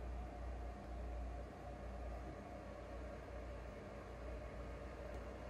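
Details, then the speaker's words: Used PS4 Pro, no disc inserted; steady, heavy jet-like whooshing roar from the fan, a little hard drive noise; loud console fan noise before cleaning dust and replacing thermal paste. "So loud. Loud. There's no disc in there. It's just the fan, I guess. A little bit of the hard drive. Way too loud."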